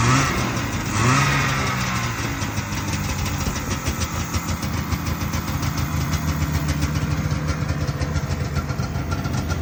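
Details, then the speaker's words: 1978 Arctic Cat El Tigre two-stroke snowmobile, carb leaned out to a 20 pilot, 280 main, needle clip one down from top after wet plugs and smoke: catches and settles into a steady, even crackle with no misfires; running healthy. "um it's running good I mean it needs I put a 20 pilot in"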